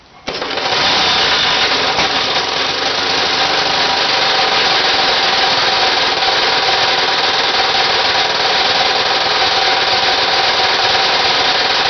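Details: Homemade Briggs 327 3-cylinder stacker radial made from three 9 cu in Briggs lawnmower engines, run at about 26°F: loud, harsh running with rapid uneven knocking about four per second from too-loose joints between the three crankshafts, not the connecting rods.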